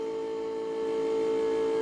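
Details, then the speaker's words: School bus (skoolie) windshield washer pump, before repair, ignition on with the button held: steady, thin, mid-pitched whine holding one note; the pump sounds really bad and is slow to get fluid to the wipers. "and we should start seeing washer fluid coming out of the wafers that pump sounds really bad"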